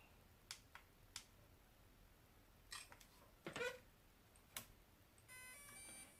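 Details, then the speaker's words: DJI Mavic Mini 2 drone with error 30210, after replacing the faulty motor (wires resoldered white, black, red): light handling clicks, then the normal multi-note DJI power-on chime. It starts up without the error, confirming the motor was the fault. "oke, dia sudah keluar nada bunyi DJI nya tuh, lalit gitu. Jadi dipastikan fix motor ini yang memang rusak."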